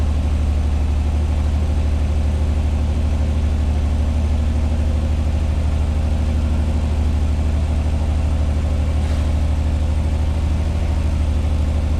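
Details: 1986 Pontiac Fiero SE V6 with known high idle problem; steady fast hum at 1,220 rpm per timing-light tach just after start, runs well; owner to check vacuum leaks, idle control or sensors: high idle.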